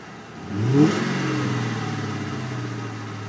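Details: Engine gives a quick rev blip, then settles to idle with a dull, deep bottom-end knock under the engine note; owner suspects a spun bearing, cause unconfirmed.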